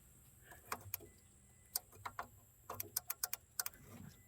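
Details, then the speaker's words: New Holland L223 skid steer, around 2015, with no start and no crank: after swapping in a good starter/ignition relay, it gives sharp, dry clicks in quick bursts with the key on. The relay is switching normally. "what i did is i swapped it out just with the good one you can actually hear it click when you i guess because i got the key on you can hear the relay actually click"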